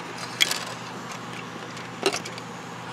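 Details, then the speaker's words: VHS cassette with a broken lid, tipped by hand: two short, sharp clicky rattles about 1.5 s apart from a broken piece loose inside the reel area. "see that there's a Pete there's a piece inside the rail"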